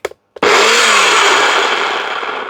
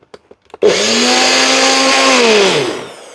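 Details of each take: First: Secondhand all-plastic kitchen blender switched on: harsh gritty roar with a falling whirr underneath, far rougher than normal; owner suspects poor motor bearings, cause not confirmed. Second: Blender motor base with a replacement fitting, after an earlier attachment sounded noisy with suspected worn bearings: spins up at once to a steady even whir, no rattle or grinding, then winds down smoothly; healthy.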